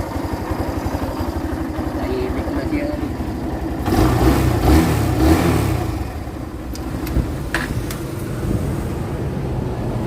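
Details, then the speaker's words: Barako motorcycle, formerly hard to start especially in the morning, after idle tuning: steady single-cylinder putter at idle, clean rev blip, settles smoothly; now starts easily with electric start. "O ayan nakita niyo naman easy start na siya basta sa umaga po pindot na lang"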